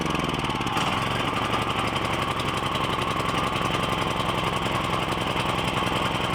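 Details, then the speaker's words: Briggs & Stratton 7,350 W generator with a replacement carburetor, started on choke: single cylinder chugging at about 220 beats per minute with a lumpy, uneven rhythm. It runs rough and needs tuning; an intake leak was later discovered. "So it's gonna need a little tuning, so let me deal with this off camera and we'll get it running."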